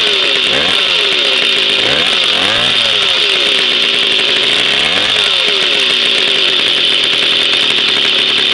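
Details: Jawa 50 type 05 moped, 1966 two-stroke engine, very first start after 20-year storage, rebuild and assembly, no cold break-in, original contact-breaker ignition and never-replaced coil; high buzzy running at fast rev with slight pitch wavering, even: normal running.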